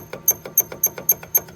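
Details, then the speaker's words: 2005 Land Rover LR3 rear brake caliper, partly compressed and rocked by hand; sharp high squeak about four per second, caliper moves freely but squeaks, owner suspects dry pins binding for lack of lube. "i don't know if you guys can hear the squeaking it is free but it's tweaking so i'm assuming it could be binding up on that if it had lube in there"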